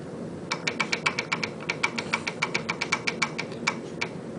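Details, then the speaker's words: Royal Enfield UCE500 engine running: sharp, light rattling ticks about six a second over low hum, clatter from backlash (gap between teeth) among crank pinion, exhaust and inlet cam wheels; cams set too loose clatter, over-tight hum. "the pitch now gear has got particular pitch uh the crank pinion exhaust wall camv and Inlet wall cam wheel has got Pitch the pitch means uh gap between two teeth now the sound what you are getting basically is called backlash"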